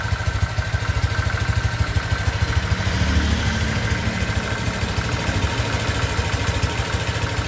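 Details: 2023 Honda Vario 125 new scooter at just over 1,000 km, idling: steady, even low putter around three pulses a second, no knocks or rattles; owner reckons it runs smoother than at 500 km, crediting correct break-in. Normal idle.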